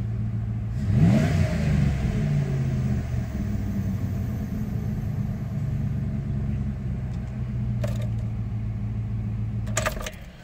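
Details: 1996 Dodge Ram 5.2 V8 after cleaning a very dirty throttle body and fitting a new IAC valve, hot day: the engine catches and settles into a low, even burble, steady for several seconds without hunting or stalling. Normal idle.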